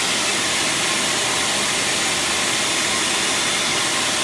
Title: Exhaust leak